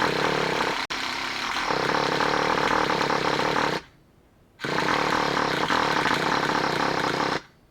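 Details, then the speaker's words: Traxxas Revo 3.3 nitro RC engine after motor swap, first start attempt before break-in after priming: harsh high buzzing runs about four seconds, dies, catches again, dies; won't keep running, seems possibly flooded. "Almost sounds flooded already."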